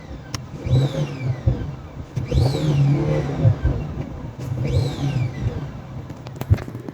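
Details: Boost leak on a turbo engine with check engine light and a stored code: three revs, each with a high squeal sweeping up and down with engine speed, from a cracked turbo intake hose.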